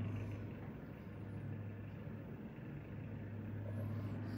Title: SilentiumPC Navis EVO 280 vibrating noise